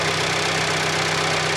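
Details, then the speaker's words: Fiat Panda 4x4 Sisley after carburettor-to-throttle-body fuel injection upgrade, running with no choke, fuel pressure about 11–12 psi: smooth, quiet, even idle with light normal injector ticking, no knocks or rattles; healthy normal idle. "as you can hear it runs nice and quiet there's no really any noises or anything you can hear the injector ticking which is normal"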